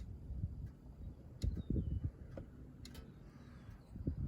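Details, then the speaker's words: Electric fence energizer at the back box, switched to off but hooked to the neighbor's fence and the fence still hot: faint sharp clicks about once a second over quiet outdoor background; keeps pulsing, cause not confirmed. "It's hot, but it's ticking. And it says it's on the off position, but it's still ticking."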